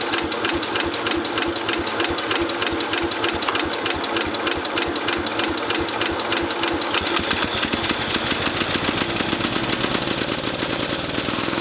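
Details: International Cub Cadet 109 garden tractor, Walbro carburetor just rebuilt with new kit: fast, slightly uneven single-cylinder putter with sharp crackle on top; engine runs but idle not yet settled, smoking.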